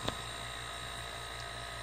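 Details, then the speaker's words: DIY silent air compressor built from a repurposed refrigerator compressor on a tank, running. Soft steady hum under a quiet hiss of air rushing through the plumbing, which is louder than the motor; no knocks or rattles. It runs quietly and healthily. "you can hear the air rushing through here more than you can hear anything else I don't know how loud that's going to sound on the video but with me sitting in front of this you could run this thing in a dentist office"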